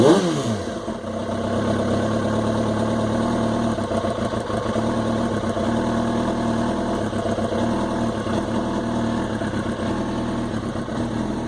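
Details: '05 R6, inline-four: uneven, lumpy, loping idle then a short blip. The rough idle appeared after weeks unridden, though it was started twice weekly. Owner hopes it is not the coils; cause unknown.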